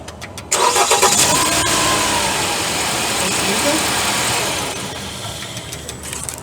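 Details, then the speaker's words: Jeep Compass 2.0 petrol that made a loud snap from the engine when switched off: after replacing only the alternator freewheel (overrunning) pulley, it cranks, runs smoothly and shuts down cleanly with no noise. "agora aí funcionando sem barulho era somente aí a questão da Poli"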